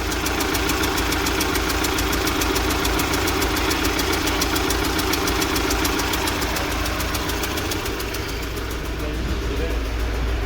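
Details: UMZ-4216 Evotech 2.7 Euro 4, 129,000 km: sharp regular ticking about three and a half per second over steady idle, growing louder, persisting after oil added to cylinder 1; head removed to check cylinder 1 intake valve seat. Valve seat knock.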